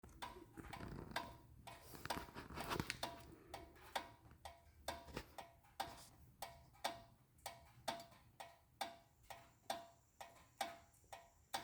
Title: 2012 Honda Accord EX-L Rear Brake Noise When Car is Off